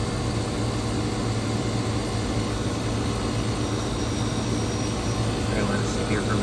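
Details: Electro Freeze ice cream machine at a shop, with a cabinet that was not pulling down and a CAN RFG error, found slightly overcharged; head pressure driven to about 175 psi: constant low compressor hum and steady fan rush, no surging or knocking. Running smoothly.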